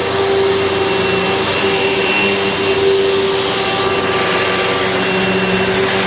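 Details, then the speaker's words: 2000 Dirt Devil Featherlite upright vacuum, test run with a bag after four bearings were rebuilt (two brush roll, two motor): a steady, loud, high-pitched motor roar with an even hum, no rumble or grinding. Much improved, running normally though never quiet. "Well, it's certainly not perfect, but with 4 bearings rebuilt, 2 in the brush roll and 2 in the motor, I just bet it's going to sound a little bit better. But this thing was never meant to be quiet, to be sure."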